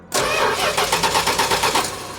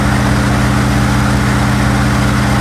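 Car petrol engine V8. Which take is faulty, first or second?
first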